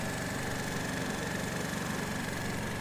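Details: Peugeot Looxor 125 4T scooter, Piaggio Leader 125 engine reportedly over 100,000 with maintenance, fresh battery, automatic choke, winter; even steady low putter at idle, no misses or knocks, healthy.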